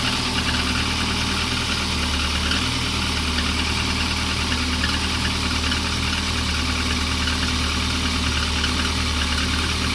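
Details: Lada 2115 petrol engine running cold at idle: steady mid-pitched clatter with an uneven tapping through it; engine knock at cold idle of unknown origin.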